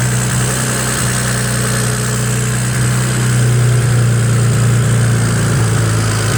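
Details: BMW 335i started from inside the car: fresh start settling into a low, uneven idle of about three pulses a second that stumble now and then, a possible misfire, with a charging malfunction warning appearing.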